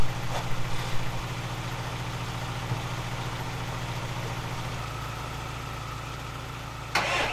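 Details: Lada Niva, long unused, started after battery charging: catches and settles into a loud, lumpy, uneven tractor-like idle; sounds like misfiring, cause not confirmed.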